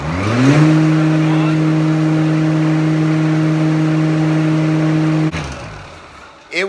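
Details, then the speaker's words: Homemade dust-collector blower converted from a Billy Goat debris loader, motor rewired from a 110 V plug to 220 V after it kept tripping the breaker and barely turned the fan: spins up in under a second to a clean steady hum, then shuts off; runs fine. "absolutely the perfect choice for my shops dust collector it moves a ton a ton of air so I'm pretty happy with it"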